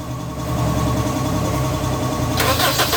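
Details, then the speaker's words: Honda CR-V Gen 2 that was hard to start and only clicked underneath due to a faulty relay; with a direct jumper wire fitted in park, a brief crank catches at once into a steady, even idle: one-click start. "one click naman. One click kaya nilagyan namin ng ganito wire na diretso pang tusok ngayon."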